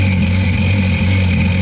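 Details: 2005 Sea-Doo RXT, modded 4-Tec Rotax 215HP supercharged engine with aftermarket intake and exhaust, first start out of winter storage on hose water: steady low drone with a constant higher whine, running normally with some smoke.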